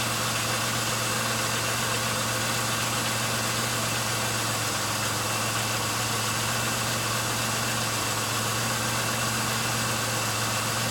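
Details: 1999 Pontiac Grand Am, about 90,000 miles, previously idling rough; new plugs, wires and air filter, then fuel system cleaner added. It holds a steady, even idle with a smooth low drone and no misses or stumbles. Normal idle.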